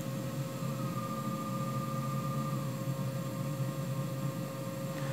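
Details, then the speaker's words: New 3HP ATC spindle on a Hitachi WJ200 VFD, slowed from 12,000 rpm to very low speed. Steady even hum with a constant whine and faint low rumble, no knocks or grinding; current looks good, healthy. "it's 12,000 rpm so they're down to something really slow and it's turning she'd be able to run this thing really really slow"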